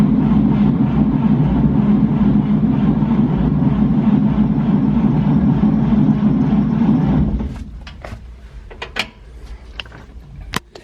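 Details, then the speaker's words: 1949 Chevrolet 3100 truck, unstarted for about 30 years, ignition drilled out and tumbler installed, spark plugs still in: steady slow cranking about three beats a second for seven seconds, never firing, no oil pressure change; cranking, no start. "Okay, so I didn't see any oil pressure change. That's kind of why I want to take the spark plugs out so it turns freer."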